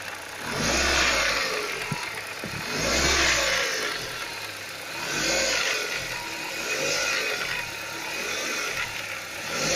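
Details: Ford Focus 1.6 8-valve petrol, revving up and down: light pebbly rattle on each rev, absent under load, appearing when throttle released; camshafts, hydraulic lifters, tensioner replaced without change; owner suspects piston pins or pistons, unconfirmed.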